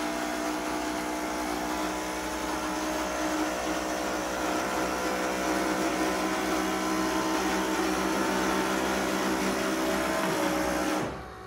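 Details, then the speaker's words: 1964-66 Ford Thunderbird convertible trunk lid: even electric hydraulic pump whine holds steady for about eleven seconds, then cuts off cleanly as the lid raises; normal hydraulic pump operation. "Hydraulically now the trunk lid's going to start to raise."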